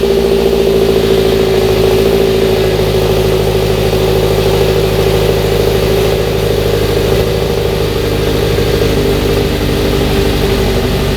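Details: Mazda NC Miata with swapped 2.5 engine, first start after its gummed, clogged 2.5 injectors caused a no-fuel no-start. Steady, even exhaust note with smooth rev blips and no miss or knock; runs fine at idle.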